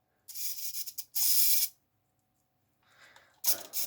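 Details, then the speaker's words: 1.7 g micro servo in an RC Revell Liebherr A900C Litronic excavator boom: rough rasping bursts, stopping and starting as it jams, motor sometimes running with the arm not moving; owner suspects a broken gear with debris catching. "you can see there it jams from time to time you can hear the motor running as if it's disconnected so that let's jam there's if there's something caught in the gears"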